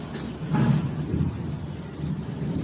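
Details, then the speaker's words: LG top-load washing machine in spin mode: heavy low thumping swelling and fading in uneven surges; drum vibrates heavily and bangs against the cabinet, cause suspected, not confirmed. "Hi guys तो आज हम देखेंगे LG के load में spin के समय में washing machine बहुत अधिक वाइब्रेट करता है यह जो टब होता है यह बॉडी से टकराता है इसका क्या कारण है और क्या सोल्यूशन है आज हम समझेंगे वीडियो में"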